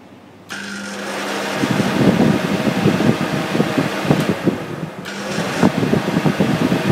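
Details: Second-hand Danfoss Maneurop cold room compressor with gauges fitted: rough, uneven clattering over a motor hum, irregular knocks about three per second; it runs but builds no pressure, suspected major mechanical failure.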